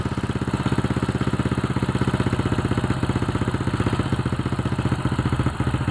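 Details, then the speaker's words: Old Honda Supra X (checked for a suspected weakening spool/stator coil) at steady, even low idle after a light one-kick start, on the used spark plug with idle turned down; no misses, runs healthy; battery about 12.9 V while running. "Motor terasa enteng ya untuk hidup awalnya. Tadi 1 kali pancal aja udah bisa hidup ya."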